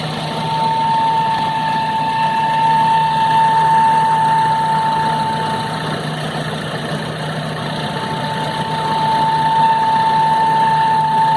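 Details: 2005 Nissan Urvan engine at idle: a fast regular tapping, roughly two hundred a minute, over a thin high tone, source unclear; the noise goes away when the engine is revved.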